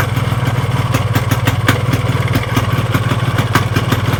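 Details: Yamaha RX-King two-stroke motorcycle idling with an uneven clattering knock ("klotok klotok") of two to three per second; crankshaft bearings already have up-down and side play, plus worn connecting rod and piston, causing noise and vibration.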